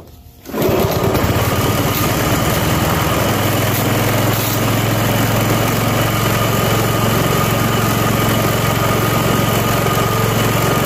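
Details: Self-propelled walk-behind lawn mower, first spring start after winter storage and tune-up (oil, spark plug, Seafoam), cold at about 40°F, choke left on longer: starts quickly and idles slowly and evenly with no misses or knocks; normal idle.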